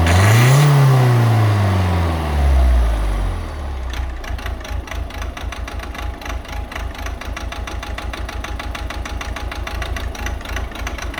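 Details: Volvo C30 1.6 diesel: after a quick rev it settles to idle with a steady sharp clatter about four per second from bad Siemens injectors. Diesel injector knock.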